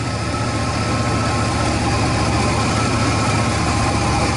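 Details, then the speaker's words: 2003 Chevy Astro van, MAF sensor reading 6.84 g/s: idles with an uneven, lumpy beat and irregular stumbles under a steady low drone, rough idle, cause suspected but not pinned down. "Okay, well, it runs like crap still, but I tell you, everything in this truck is screwed up."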